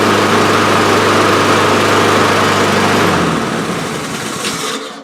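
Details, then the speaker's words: Honda HRR2156 push mower after fixing a prior botched repair and choke, which had run-and-die surging: starts on choke, settles into steady even run with no surging, then shut off; normal start and run. "Awesome. Everything works as it should."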